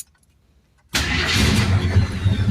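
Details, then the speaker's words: 1972 AMC Javelin AMX 401 V8 automatic, carbureted, cold start after sitting 3 days with one gas-pedal pump: brief crank, catches at once, settles into a steady, even rumble with no stumble; normal cold start and idle. "Now, I hadn't started it in 3 days, but that's what it sounds like on a cold start. And she idles so nice."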